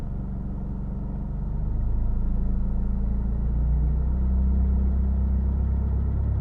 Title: 2000 Mitsubishi Eclipse strange engine sound